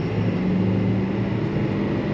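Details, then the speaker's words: 2015 Ford F350 6.7L Power Stroke diesel with CP4 pump, after 6–8 gallons of gas in the diesel tank and a crank no-start: smooth steady drone while driving under load, rail pressure building to 29,000 psi, no knocks or misses. "I think I'm going to call this a win for now. We'll make our recommendations to the customer and see what they say. Yeah, it sounds good now."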